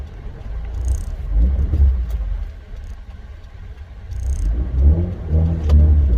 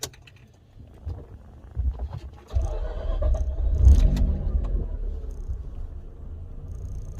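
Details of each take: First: Mazda RX-8 rotary on the move after new Versatune Lite tune, warm around 78–80 degrees, aircon off, solenoids not yet done: deep drone rising and falling with throttle, sharp crackles on lift-off; pops more, throttle feels different. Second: Mazda RX-8 rotary engine starting right after loading a new Versatune Lite tune: brief low crank, catches within about a second and settles to smooth steady idle; starts quicker than it used to, normal start.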